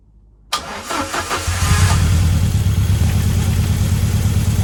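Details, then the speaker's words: Ford Escort Cosworth being prepared for road test developing a misfire on cylinder 1: engine cranks, catches and idles with uneven, lumpy beat and occasional stumbles; cause not confirmed. "Oh man, my heart failed then when that started misfiring."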